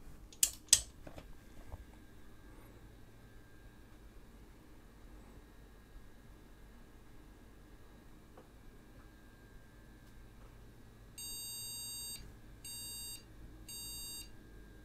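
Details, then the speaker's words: PC powering on with two clicks and quiet hum, then three short high BIOS beep-speaker beeps indicating a memory error, with a single RAM stick installed in the wrong slot and no graphics card. "but again the bath bleep speaker has come to the rescue and given us our three bleeps to say that yes although the memory appe"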